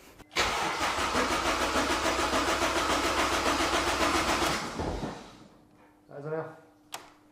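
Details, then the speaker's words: Honda Jazz with a swapped-in Civic Type R K20 engine at first start: steady fast starter cranking about 3.5 turns a second for four seconds, never firing, then stops; suspected earth problem. "now it's cranking but it will not fire I think it's probably an earth problem"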